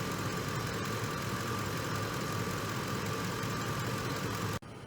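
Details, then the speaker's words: Ford F-150 3V V8 after a full engine refresh with timing chain work and new bearings, once loud with chain and other noise: steady, even idle with a smooth low rumble, no knocks or ticks, running like new. "It's running really good now. Every minute I let it runs even better. Now it's running like a brand new car."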